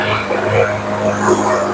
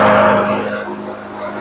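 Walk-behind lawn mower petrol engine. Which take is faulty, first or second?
first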